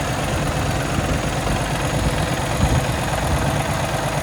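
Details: 2017 Kenworth T680, Cummins ISX diesel, automatic, 577 miles, checked at idle for leaks and fan hub: steady even diesel clatter with deep low rumble, no knocks or misses; healthy idle.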